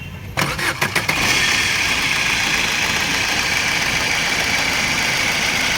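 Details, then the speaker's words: Car engine at idle after start: loud steady hiss and rattle that seems internal but comes from the worn bearing of the fan-belt tensioner/adjuster at the engine's side, not from inside the engine. "जो आवाज है वो side में हमारा adjust लगा रहता है जो हमारी बेल्ट चलती है फैन बेल्ट उसको एडजस्ट करता है उसके बेरिंग की ये आवाज है"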